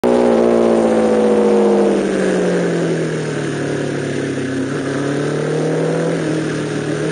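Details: MV Agusta F4 750 on the Spa Nishiura circuit with its chronic misfire problem. Under load the note sags, then holds with an uneven, stumbling beat instead of a clean pull; misfiring.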